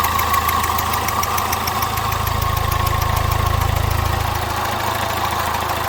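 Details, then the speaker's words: Citroën Nemo 1.4 HDi diesel at idle: sharp, regular chuffing tick about four times a second over the clatter, pressure blowing back past failed injector seals, with burnt diesel smell; injector seal leak. "comme d'habitude sur les moteurs hdi des symptômes sont les mêmes le bruit le retour de pression que l'on entend ici"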